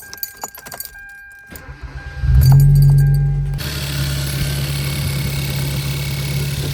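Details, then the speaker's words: Car just after cold air intake repair: starts after a few cranks, settles to fast idle with faint light ticking; ticking stops with high-pressure fuel pump unplugged and returns when plugged in; high-pressure fuel pump ticking. "that ticking sound you hear is my next project the high pressure fuel pump because if we unplug that you can hear it runs great now but when you plug the high pressure fuel pump back in you get that noise"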